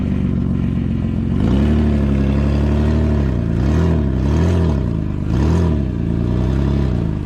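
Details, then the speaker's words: 2009 Nissan Murano with rusted exhaust pipe, flange bolts rusted away, before welding: loud, raw open rumble swelling with each throttle blip, like a stock car; exhaust leak. "Well, I imagine you could hear it. Sounds a bit like an like a stock car right now."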